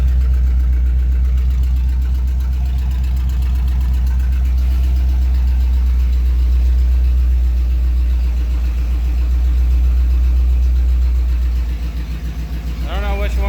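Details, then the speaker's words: 1938 Ford idling in neutral: steady idle with an off-beat shaking pulse that never smooths out. Misfire with cylinders two and three dead; they are on different coil packs, so owner doubts coils. "so number two and three are not doing anything I wonder what that's all about"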